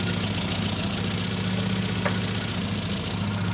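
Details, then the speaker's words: Classic Mini small-bore engine with mild cam, HS4 carb, K&N filter, history of fouling plugs, wrong AAA needle found in carb: running before tuning has started, steady low idle with a slight uneven lumpy beat; untuned idle. "So as you'll hear now, I've got it running. I haven't even really started on the tune."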